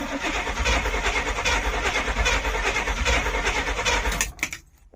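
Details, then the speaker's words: 1972 Barth motorhome after sitting 15 years: steady cranking about three beats a second for four seconds, never catching; crank no start from no spark, later fixed by swapping in another cap and coil. "All right, I'm thinking we got no spark."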